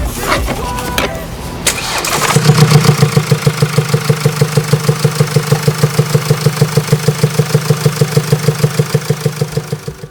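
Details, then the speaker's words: Mercedes-Benz diesel brought in for noise at start-up: a sharp, regular tick about three times a second over the idle, which will worsen until the engine fails; failed exhaust cam follower roller bearings in the cylinder head. "소리가 지속이 되면 더 커질 거고 거기서 또 지나면 말 그대로 뭐 뭐 어떤 부품이 손상이 있기 때문에이 소리가 나는 거란 말이죠"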